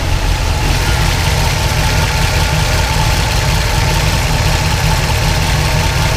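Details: 1976 Pontiac Trans Am twin-turbo big block with solid roller cam on Microsquirt, after fixing 2000 rpm idle: smooth steady idle, even beat, no hunting, surging or misfire; idling much better.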